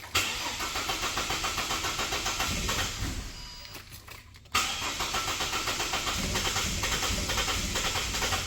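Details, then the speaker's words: 2006 Ford Falcon that cranks but won't start, compression sounding healthy: steady cranking about four turns a second with weak firing attempts on starting fluid in the intake but no catch; suspected fuel-related problem. "yeah it tries to start so we're looking at probably a fuel related issue"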